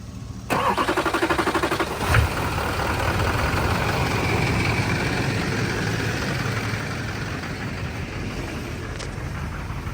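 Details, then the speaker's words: Cheap Duramax diesel being bled of air in fuel system: starter cranks about four beats a second, engine catches and runs unevenly, staying running longer each attempt, black smoke after; hard start and brief rough running, air in fuel suspected. "what are you done trying to bleed the air out of this that sounds terrible it is"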